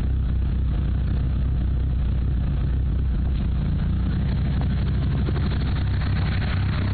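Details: Mitsubishi Evo III: deep, lumpy idle with uneven chuffing and no steady rhythm; rough idle, owner suspects bent valves, unconfirmed.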